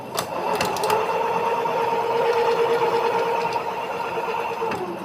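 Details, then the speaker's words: Electric scooter hub motor after replacing a faulty hall sensor (41F, yellow wire) and cleaning water-caused dust. Steady whirring hum with a faint tick; runs correctly now, though a loose axle still causes jerks. "मैंने आपको चला के दिखा दिया है अब सही चल रही है या जो आवाज कर रही थी वो डस्ट चढ़ हुआ था पानी की वजह से"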